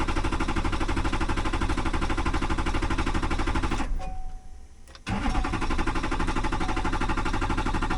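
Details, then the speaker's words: 2005 Chevy Silverado 2500HD, 6.6L Duramax diesel with Allison 1000: steady rhythmic cranking about three beats a second, a pause, more cranking, never fires. "Man, imagine doing this on the side of the road all because your fuel pump relay took a crap on your Chinese Fast 150."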